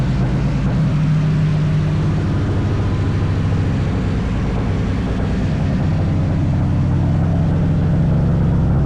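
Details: Nissan Sentra build, running after a no-spark fault was fixed and new V-band exhaust welded: deep, steady exhaust drone holding even with no knocks or misses; runs cleanly.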